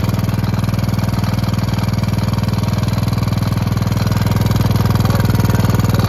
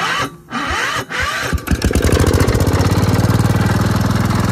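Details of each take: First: Gravely Promaster 50 tractor, sitting two years, after filing the points and giving it a shot of fluid: steady single-cylinder thump at about four beats a second; stalled after about 150 feet from a loose clip inside the spark plug wire boot. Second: Gravely Promaster 50 tractor, sitting two years, after refitting the loose plug-wire clip, taken out of gear: a couple of cranks, then it catches and settles into a fast, even putter; runs well, though the rotted mower deck vibrates badly.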